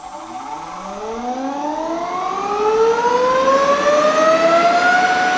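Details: Nova Voyager DVR 58000 drill press ramping up to 5500 RPM for a penny-and-nickel balance test on the table: clean whine climbs steadily, no wobble, rattle or knocking; coins stayed put, spindle smooth and balanced.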